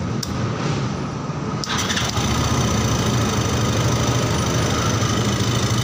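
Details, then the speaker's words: Yamaha Xeon GT 125 fuel-injected scooter that died suddenly while riding (MIL blinked 39), after fixing a fault in the electrical wiring: short crank, catches cleanly and settles into a steady even idle; electrical fault resolved. "Halo teman-teman ini motornya udah hidup ya jadi masalahnya itu masalah keelektrikan"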